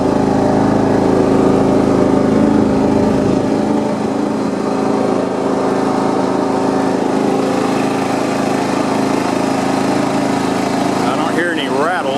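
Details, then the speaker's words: John Deere 170 lawn tractor after steering and front wheel repairs, mowing deck off, driven on the street in 5th. Even, steady small-engine putter with no rattles or misses, settling slightly lower after a few seconds; normal running. "what's wrong pretty good on the street it's kind of funny on the street it feels like it's going so slow but then when you get in the yard it feels like it's falling but but all right so it's running pretty good"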